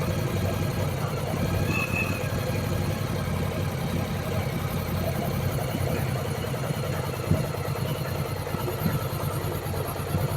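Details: Yamaha Virago 1100 V-twin, warm, during valve adjustment and carburettor synchronisation with the air filter off: uneven loping idle with the odd sharp pop from the open carb intakes. Idle is then lowered.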